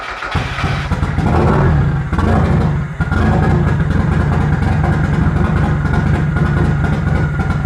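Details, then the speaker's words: Miata with newly installed GT2560R turbo and TDO manifold, first start outside; rough lumpy idle with uneven stumbling beat; seems misfiring on one cylinder, cause unconfirmed. "Sounds like it's misfiring on one cylinder."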